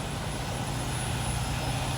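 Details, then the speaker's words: Reefer trailer unit diesel cranked after using the primer pump, owner unsure enough was pumped: steady low cranking rumble, sputtering but never firing; suspected not getting proper fuel, unconfirmed. "but just like anything that's not getting proper fuel to it, it just kept sputtering and sputtering, trying to turn over, but would never fire."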